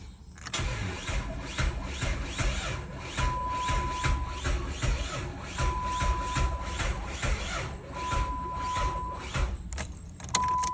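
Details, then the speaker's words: 2007 Dodge Charger after fuel pump replacement: fuel pump audibly cycles at key-on, but the starter cranks at an even rhythm with a chime beeping over it and the engine never catches; crank, no start. "I don't know if you guys can hear it, but the fuel pump is cycling. Now, when I try to start it, it's doing this right here."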